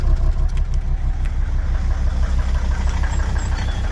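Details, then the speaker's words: 2003 Volvo XC90 D5 diesel, cold start: normal idle until a tiny throttle blip, then a low, uneven chugging misfire heard at the exhaust, running on 4 cylinders; fault appeared 224 miles after boost-pressure repairs, under investigation with leak-off test. "However, the moment that I touch the throttle, it will start to misfire. So just a tiny blip of the throttle. Here it's now chugging."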